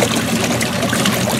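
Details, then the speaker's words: Free used Kenmore 80 Series washer tested outdoors on fast agitation: mostly water sloshing and splashing, machine barely audible; exceptionally quiet, very smooth running, normal. "this one is exceptionally quiet i wonder if it has a quiet pack or something it just it's very smooth running"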